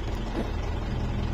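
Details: 2013 Mitsubishi Strada/Triton diesel, a crank-no-start with codes U1504 and B1707 caused by the immobilizer antenna, after epoxy repair: steady, even low idle rumble with no knocks or misses; normal idle.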